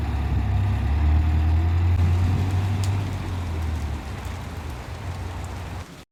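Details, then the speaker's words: 2010 BMW X6 M (E71) V8, about 240,000 km, engine warning light on: deep uneven lumpy idle from engine misfire, attributed to a failing high-pressure fuel pump. "저는 엔딩 경고등만 된게 아니라 엔진 부조 증상이 같이 있었어요 이제 부조가 뭐냐면 엔진이 떨리는 증상"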